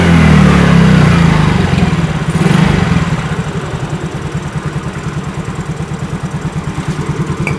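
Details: Fuel-injected motorcycle after cleaning throttle body sensor with carb cleaner sprayed into intake: revs up cleanly, then settles to a steady, even idle of about three pulses a second; sounds healthy.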